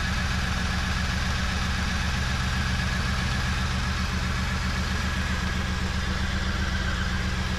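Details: 1994 Chevy Camaro Z28 5.7L LT1 V8 after Optispark distributor replacement and coolant bleed: smooth, steady low rumble with even beat, no knocks, misses or rattles; idling cleanly.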